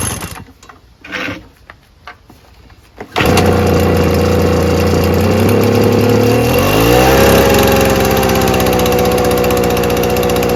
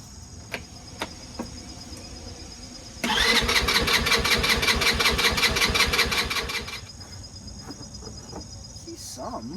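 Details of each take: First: Small two-stroke engine, used once, primed six times: a few cord pulls, then it catches and settles into a steady buzzing idle with one smooth pitch change; normal start and idle. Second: Vehicle about to be put away for winter: about three seconds of rapid starter whirring, the engine turns but never catches; cranks but won't start, cause unknown.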